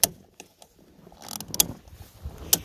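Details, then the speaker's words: Fuel cap tightened until its built-in torque limiter clicks, a value guessed at roughly 40–45 inch-pounds but untested. Three sharp crisp clicks about a second apart on a quiet background; the limiter slips normally. "you tighten until it clicks and that click is basically the sound of the torque value being set by the gas cap itself just like that"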